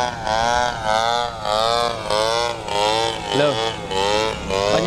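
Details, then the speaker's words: TU 26 two-stroke engine in a converted RC trainer plane (186 cm span) in flight on maiden flight, before landing: high buzz surging and dropping about once a second, stumbling unevenly; sputtering, owner suspects fuel, not confirmed. "Gas penuh, mendarat duluan. Jadi, mesinnya tersendat-sendat."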